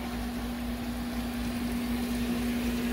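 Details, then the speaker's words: GE GTW460ASJ5WW top-load washer after lid lock replacement for a no-start: steady inlet-valve hum with soft rush of water filling, where before nothing happened; normal water fill. "and you can hear the water going in whereas before there was nothing happening"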